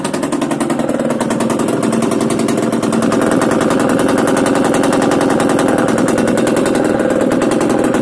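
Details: Yamaha DTR 125 two-stroke with engine from a 2007 bike, first start after fitting unrestricted Gilera SC CDI, new seals, 240 main jet, powervalve fully open, Big One exhaust; crisp rapid firing pulses stay even and build cleanly when revved, no misses or knocking: normal idle and revving.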